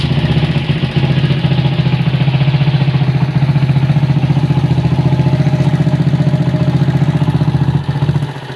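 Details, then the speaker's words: 1977 Honda CB100 K3 with CDI and GL Pro or Mega Pro carburettor mounted without insulator, compression still good, before engine overhaul: noisy clattery mechanical rattle over the single's thump, idle stays high even with the idle screw backed out. "Suara mesin berisik ya. Untuk suara mesin agak berisik. Terus untuk karbu idle-nya tidak bisa turun."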